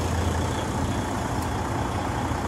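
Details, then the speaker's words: DD15 diesel truck after retorquing loose exhaust-side valvetrain bridge bolts, oil pressure just under 75: steady even idle, smooth rumble, no valve chatter or ticking; sounds much better than before. "I'm gonna go outside just to verify that I don't have any extra chatter or any noise. Oh yeah, sounds much better than before."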